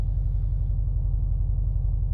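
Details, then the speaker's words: Subaru flat-four with unequal-length headers at idle: a deep, lumpy, off-beat burble. A misfire was briefly suspected, but it is the normal Subaru boxer rumble. "Sounds normal to normal to me. It sounds like a Subie. It's the Subie rumble."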